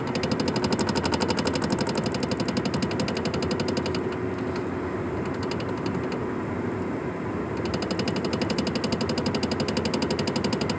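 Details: Nissan Sentra knocking while driving straight above 30 mph: a hard, even knock about four times a second runs steadily at cruising speed, cause not yet identified.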